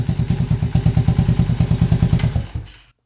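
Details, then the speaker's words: Small motorcycle at startup check right after ignition coil replacement: even, steady idle thump of about three pulses a second with no skips or stumbles; normal idle, no misfires. "I didn't hear any misfires."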